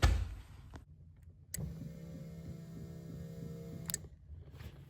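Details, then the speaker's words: VW Mk1 with CIS fuel injection not getting fuel, fuel pump relay bypassed: steady low electric buzz for about two seconds, pump and a front valve buzzing; fuel pump works, relay likely faulty. "I can hear the pump running I can hear it you guys heard that"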